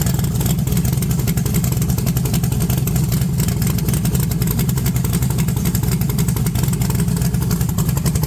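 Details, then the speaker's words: 1982 Chevrolet S10 V8, long-stored, 60 lb oil pressure, low vacuum: deep uneven rumble that breaks up badly when revved and right off throttle, a heavy misfire; owner suspects a bad plug wire or vacuum leak, unconfirmed. "right off throttle it it goes like it's misfiring really bad whenever you rev It Up um never done that before"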